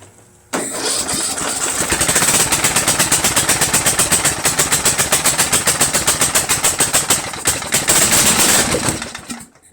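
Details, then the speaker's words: Troy-Bilt 1842 Super Bronco lawn tractor with a repowered engine, Nikki copy carburetor on choke, weak battery boosted by a charger in engine-start mode: the starter cranks steadily for about eight seconds with no firing. The engine is flooded from choking. "I flooded it a little bit. I'm going to wait until the battery charger gets the amperage rebuild again."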